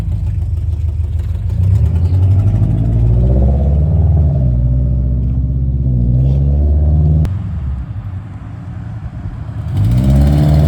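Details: Engine with new Tomei UEL headers: lumpy, uneven rumble with a throaty puffing pulse and one rev, from an exhaust leak at the headers.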